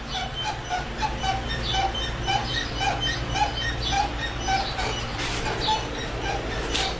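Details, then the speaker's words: 2004 Yukon suspension squeaking as the front bumper is pushed and rocked, with short, high-pitched squeaks about two a second, the same noise heard while driving. "Notice when I push down on my bumper, and over in here, you can hear this noise."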